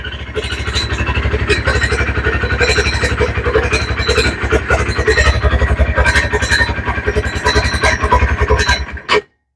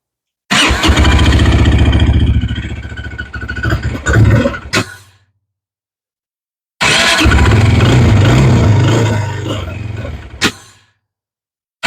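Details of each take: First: 2019 Textron Alterra 300cc quad idling, microphone on the owner's shirt: harsh, irregular high screeching from under the CVT clutch cover over the low thump; primary clutch outer sheave splines worn bald. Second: 2019 Textron Alterra 300 quad, microphone on a shirt: three short start-and-rev runs with an even engine note and no screech. This confirms the screech came from the primary clutch, whose outer sheave splines were worn bald.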